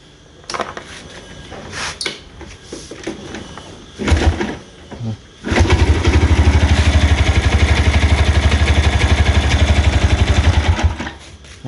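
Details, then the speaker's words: Yamaha Jupiter Z1 running with a harsh rattle pulsing about four times a second from the right-side engine, despite replaced clutch plates and clutch housing; also stalls when put in gear; mis-assembled part found on teardown. "jadi ini keluhan motornya tuh bunyi kasar di mesin kanan e sebelumnya ini motor sudah ganti kampas ganda dan loncengnya juga tapi masih ribut"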